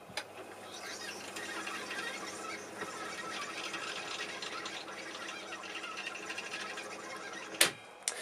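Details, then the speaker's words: Swedish Agaphone (Agafon) wire recorder, late 1940s/early 1950s, about 70 years old, after remedial repairs: rewind button spools wire back to zero marker with even, hissy whirring at steady speed and a sharp click near the end; normal rewind. "now we'll hit the rewind or reverse button which will rewind the wire until it gets back to the zero marker"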